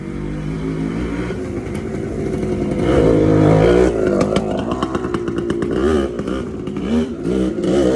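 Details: TC125 two-stroke dirt bike after a carb clean and a new fuel line with filter, on a cold day: crisp note through light throttle blips, picking up cleanly and settling back with no bogging or stutter; runs healthy.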